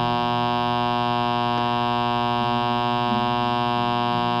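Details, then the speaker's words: LM1875 IC audio amplifier run with no filter capacitors on the power supply, playing music: steady harsh buzzing mains hum under the sound, like older equipment whose filter capacitors have dried up. "experiment and it kind of shows you what it's like in older equipment when the filter capacitors dry up"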